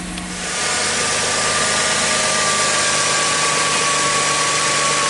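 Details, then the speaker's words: 2006 Chrysler Sebring with the battery reconnected and the engine still warming up: smooth, steady idle that drops quickly after start, no whine or rough beat; normal idle. "nice and quiet I noticed it idled down a lot faster too"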